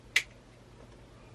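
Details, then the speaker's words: Relay in a 2JZ-to-E46 conversion fuse block wiring, switched on by its trigger in a quiet room: single sharp click, relay switching normally. "as you see it's not clicking and when i switch this it should click yep i think you can hear double click"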